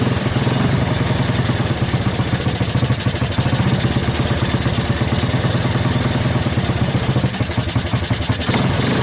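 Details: 1984 Honda ATC 200S single-cylinder ATV after long storage, started with starting fluid through the choke: fast idle with an uneven, hunting beat and occasional stumbles; rough running, cause unknown.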